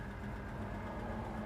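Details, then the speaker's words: 1967 Chevrolet Chevelle SS big block V8 at warm idle after test drive, foot off throttle, about 170-180°F, gauge under half; quiet, steady low burble, even beat, no ticks or hunting, idle real nice. "idling, my foot's not on the throttle. Idle's real nice. Our temp's not even half yet."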